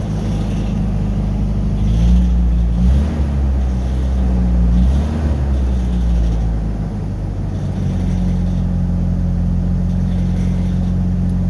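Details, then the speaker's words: Pickup that idled rough with MAP sensor and EGR codes, just started after reconnecting the MAP sensor to the correct port: a low, steady idle with an even beat and no stumble or hunting. Running smoothly. "actually i might not even do that because it because it just started up and it's running smooth"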